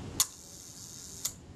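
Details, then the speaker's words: Rebuilt camera shutter, first test at the 1-second setting after positioning the ultrasonically cleaned, graphite-lubricated retard gear train: sharp open click, faint high whir, closing click about one second later; normal slow-speed shutter timing. "Oh, that sounded credible. It's a good enough place to start, that's the main thing."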